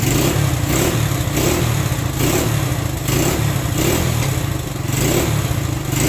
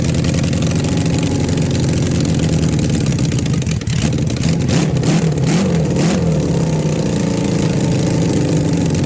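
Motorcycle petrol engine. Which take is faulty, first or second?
first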